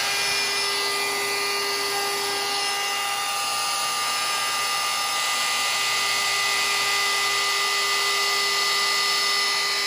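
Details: Maslow M2 CNC router, ceiling-mounted in a small workshop, on its first working cut after many mistakes and software changes: constant high-pitched router whine with steady cutting hiss, no chatter or bogging; the spindle is cutting smoothly.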